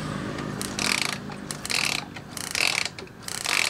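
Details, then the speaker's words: Ignition coil spark test, 12-volt feed: the coil isn't working well and the spark won't jump far, giving short thin, weak snapping crackles about every 0.8 s. Weak ignition coil spark. "Kumparannya tidak berfungsi dengan baik. Ia tidak ingin menjangkau jauh."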